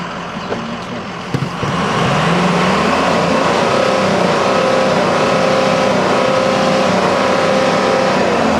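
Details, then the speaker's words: Diesel ambulance at 83,754 miles, no check engine light, heard with hood open and revved: climbs smoothly into a steady, even roar with no misses, knocks or rattles; no smoke from tailpipe; healthy engine. "And you can hear it sounds great. It just sounds great. I'll even rev it."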